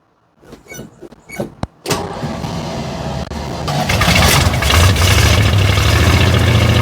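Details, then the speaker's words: 1964 Chevrolet C10 pickup started after 23 years sitting, fed from carb bowl with choke set manually: few cranking catches, then fires into a rough, unsteady run that won't settle to idle; poor idle, expected, no smoke. "She's running. Doesn't want to idle, but that's to be expected. It runs."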